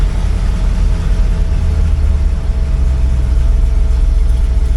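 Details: 1964 IH Travelall C1100 with new starter, after its old battery proved bad: steady low rumbling idle holding an even beat, no stumble or miss; engine running smoothly.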